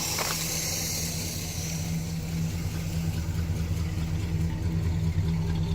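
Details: 1974 Pontiac Grand Am sedan, original 400 V8 with only a rebuilt carburetor, heard at the engine compartment: low, steady idle rumble, no miss, tick or stumble; healthy engine.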